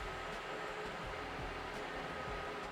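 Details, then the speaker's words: Revolution silenced EC fan on an EC dimmer at full speed, no filter fitted, air drawn in at the intake end where the filter normally goes: soft steady airy rush, faint constant hum, no rattles or rubbing; normal quiet running. "a lot quieter than the non-silenced version, but I can still hear the noise. That's because the air is being sucked in at this end where normally the filter is."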